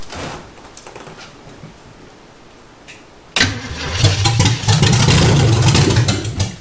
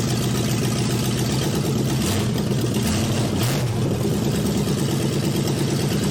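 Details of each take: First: 1971 Chevy Nova four-door that sat about 30 years in a body shop junkyard, carb cleaner poured into the carburetor: steady cranking about three beats a second that never fires. No fuel is delivered, and the fuel pump is suspected and later replaced. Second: Chevy Nova four-door junkyard rescue, open manifolds, on jack stands in gear: loud steady exhaust rumble with whirring driveline, brief shift blip; engine running, rear tires turning.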